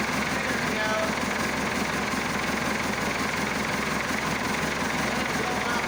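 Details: Massey Ferguson Super 90 diesel tractor, cold, at idle after replacing bad negative ground cable that caused slow cranking: steady even clatter, no misses. Normal cold idle.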